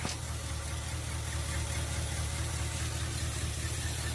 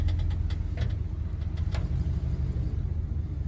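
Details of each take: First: 1979 Chevy C20, 350 V8, four-speed, sat 19 years since 2005, fuel line run to a jug on 50:1 mix, first start: low, uneven idle with lumpy, irregular beat and no clean rhythm; rough running after long storage. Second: 1979 Chevy C20 pickup, parked since 2005 (about 19 years), on a cold morning, moving slowly in low gear around the yard with no brakes: even, steady rumble with no misses or knocks; runs well, clutch feels good.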